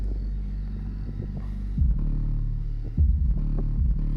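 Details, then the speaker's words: Car trunk enclosure, two Power Acoustik GW124 subs with four Earthquake SLAPS M12 passive radiators: deep bass drone with buzzy rattling bursts when one radiator moves freely, silent when held; weight on back possibly loose or cracked, unconfirmed. "Now, that's clean base. But if I let it go, you hear all that rattling. It may have cracked it or it may just be loose on the back."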